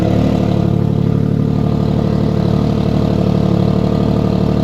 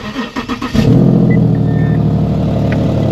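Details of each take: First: 2014–2017 Infiniti Q70L 3.7L V6 after a major tune-up, idling steadily with a fast rhythmic puffing tick over the low exhaust note: an exhaust leak. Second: 2015 Infiniti Q70L 3.7 AWD after major tune-up: brief cranking under a second, then fires to a smooth steady idle with no misfire; an exhaust leak is noted afterward.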